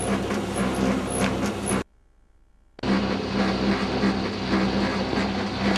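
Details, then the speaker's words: Tumble dryer bought August 2007, months old: heavy constant rumble with rhythmic thump about four times a second, stops briefly and returns; rumbling noise. "That's it. Noisy old tumbler."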